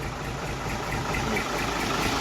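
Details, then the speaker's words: Thai truck with a J08C diesel engine and an Eaton cable-shift gearbox: diesel ticking over smoothly with even clatter and a gentle throb, no misses or knocks. Healthy, quiet idle. "J84โคตรนิ่มอ่ะ"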